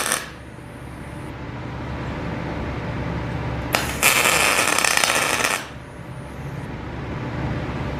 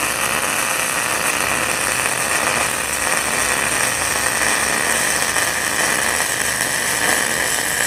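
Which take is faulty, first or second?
first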